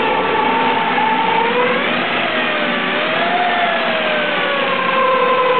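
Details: Ford SHO, engine running with all accessory belts removed: a steady high whine near 900 Hz with a lower companion tone, drifting slightly; the whine persists, so it is not from the belts.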